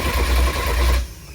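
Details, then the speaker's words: Porsche 944 turbo with 07K engine swap, cranking for oil pressure: rough rattly uneven whirr about a second; starter sounds iffy, owner plans to snug up the starter bolts; abnormal starter cranking noise. "I am going to snug up the starter bolts a little more, just because it kind of sounds iffy if you did hear it in the last clip."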